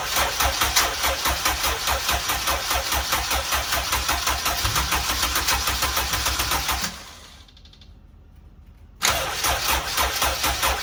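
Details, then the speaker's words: Honda Civic EG turbo build, first start-up on an ECU file from the previous car with the same injectors: uneven lumpy idle after firing, then it stalls and restarts rough; no leaks, owner says fuel is all out of whack. "oh fuel is all out of whack no leaks all right"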